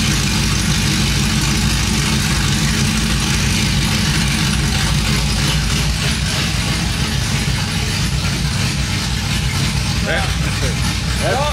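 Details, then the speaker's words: Cammed 5.3 V8 Chevrolet Silverado just started after long tube headers, x-pipe, new plugs and wires, open headers with no exhaust, oils burning off: loud deep choppy lope, no tapping or knocking; healthy. "very loud yeah you can hear the cab you got oils and stuff burning off the exhaust"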